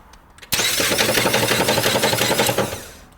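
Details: Ford Fusion won't start, giving a rapid, harsh clattering knock for about two seconds of cranking without catching; cause is a cracked flywheel, with transmission fluid leaking where transmission meets engine, first mistaken for engine oil.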